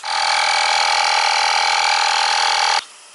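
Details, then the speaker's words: Tubliss system fitted to a used motorcycle tyre; loud steady whistling hiss of air escaping for about three seconds, then cutting off. The tyre had trouble sealing; the geared PSI gauge was found inaccurate. "Something's leaking here, you can hear it."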